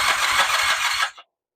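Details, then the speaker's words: 1979 Kawasaki KZ400 (398 cc) long-stored project bike, ignition on: cranking chuffs catch into a short ragged burst of firing for about a second, then die; fires briefly on starting fluid. "I heard something there. [snorts] Game on. Game on. We're building the bike."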